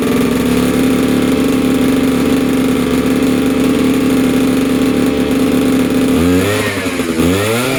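Buzzy two-stroke holds a steady high idle, then snaps through quick rising and falling revs cleanly, no knocks or misfires; runs healthy.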